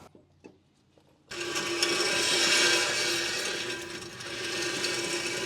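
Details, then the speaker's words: 2012 Ford F150 3.5L EcoBoost rear brake job: the old rotor is turned by hand and a steady dry scraping rasp is heard as the parking brake shoes drag inside the drum, to be adjusted before the rotor comes off. "Now I am going to rotate this slightly and listen to hear how much this is dragging, because as we adjust this, we will need to readjust this back with our new rotor."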